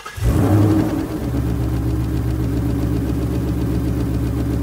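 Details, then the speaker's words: 2018-2019 Ford Mustang V8 starting and idling: steady, even light ticking from the direct-injection pump, consistent and normal, unlike the intermittent problem tick heard from under the car. "other ticking here is very consistent that is normal for a DI pump this is actually the way it's supposed to sound this is definitely not gonna be an issue"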